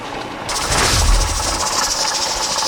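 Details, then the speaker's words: Pressure canner with a 10 lb weight, canning raw corn: a steady steam hiss starts suddenly with a faint jiggle as the weight begins to wobble, meaning 10 psi has been reached. "I'm sure you guys can see, I know you can hear it, but it's starting to wobble. That means that we've reached our 10 pounds of pressure,"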